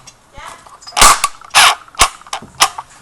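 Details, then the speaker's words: Echo1 airsoft electric gun on a flat stock battery: sluggish, uneven, slowing bursts of clacks with the motor straining; gearbox locking up, and continued trigger pulls risk blowing the fuse and heat damage. "basically the battery's all out of power and it's struggling to turn the motor and the gears and that's a jammed gearbox or locked up"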